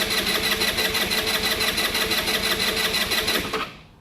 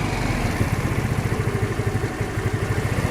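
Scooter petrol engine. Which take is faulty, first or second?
first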